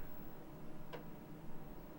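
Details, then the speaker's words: Commodore Amiga A1000 after two decades boxed, trying to boot Kickstart from an external 1010 880K floppy drive: two sharp isolated ticks from internal drive only, external not clicking, so OS won't seek Kickstart there; drive possibly bad. "okay I'm clicking here but I'm not clicking over here so that's telling me the operating system is not going to look for a Kickstart disc over here"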